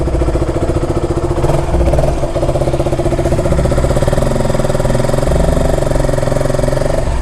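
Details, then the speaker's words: KTM RC single-cylinder motorcycle idling steadily with no stumbles after draining rainwater-contaminated petrol and refilling with fresh fuel; the earlier misfiring caused by water is gone. "വെള്ളമുള്ളതുകൊണ്ട് മിസ്സിങ്ങൊക്കെ പോയി. ഇപ്പോൾ കുഴപ്പമില്ല കേട്ടോ, ഇപ്പോൾ missing ഒന്നും കാണിക്കില്ല."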